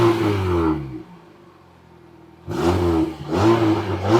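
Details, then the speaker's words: 2006 Mini Cooper 1.6 L petrol (90 hp), heard from underneath as the engine is revved: a light tinny clatter under the revs from a loose exhaust heat shield, to be secured with a washer. "Now we've noticed this is moving, I'm going to get Ben, because we did notice that when you rev it, it rattled."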